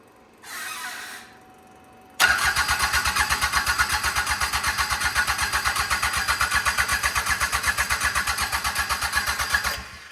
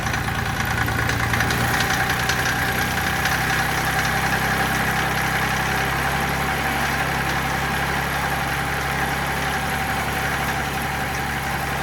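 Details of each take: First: Mitsubishi L3E three-cylinder diesel (about 20 hp, log-splitter power plant), rebuilt after zero compression in the middle cylinder from a valve problem, cranked cold with no glow plugs. Even starter chugs about four a second for seven seconds, smoke but no catch. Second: Mitsubishi L3E 3-cylinder diesel, about 20 hp, rebuilt after zero compression in middle cylinder from a valve problem; started without glow plugs, thermostat housing cracked and leaking: steady even idle on all three cylinders, smoother, less smoke; normal idle.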